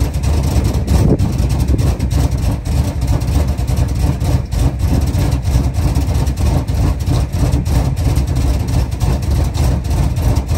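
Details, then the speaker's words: A 1977 Chrysler Town & Country V8 idles off a gas can after a pinholed metal fuel line was replaced. It holds a deep, steady rumble with an even lope and no misses, knocks or stumbles: normal idle. "And now it'll run off a gas can. I'll let you guys hear how it runs."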